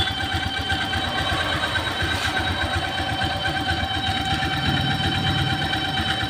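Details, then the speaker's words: Honda Vario 125 scooter idling with cover removed: steady whirring whine over the engine rumble, traced to the worn water (radiator) pump bearing; not the CVT, since the noise stayed with the front pulley removed; noise intermittent, sometimes very loud. "nah guys nih sudah saya buka cover binnya ya nih bunyinya ini dari sini ya dari full pumnya"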